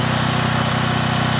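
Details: John Deere generator with Briggs and Stratton engine, after carburetor cleaning and fuel line replacement following years of sitting: steady, even drone, no misses, knocks or hunting, running without load while frequency measures close to 60 Hz.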